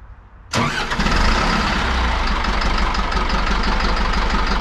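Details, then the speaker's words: Wheel loader diesel engine restarted after nearly running out of fuel (it had slowed and lost power) and being refuelled: quick catch on the starter, then a steady, even low diesel rumble with no misses or stumbles; normal start and idle. "That all shut, and time to start it up and see how it runs. Hopefully much better."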